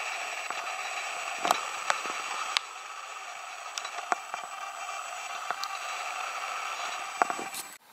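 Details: Panasonic 14-140mm f3.5-5.6 Power OIS lens (H-FS14140), recorded with a compact camera mic beside it: a steady high hissing buzz with whine tones and sharp clicks, far louder than other lenses; owner unsure whether this is normal.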